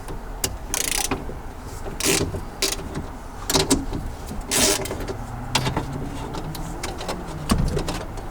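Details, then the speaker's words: MK2 Golf GTI electric window not working; motor tried with hammer knocks and WD40. Short bursts of motor whirring and clunks with the switch pressed but no steady travel. Window motor worn out; new window regulator needed. "the motor is knackered okay you know we need a new regulator then"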